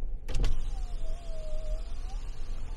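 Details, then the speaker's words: Passenger power window lowered via Foxwell NT809 scan tool active test: a clunk, then a steady motor whine dipping slightly in pitch as the glass travels down; normal operation, though the regulator needs replacing and slows near the top. "here going down let's see if it goes up now this one needs a new regulator so it slows down towards the top but she'll make it there she went all the way up"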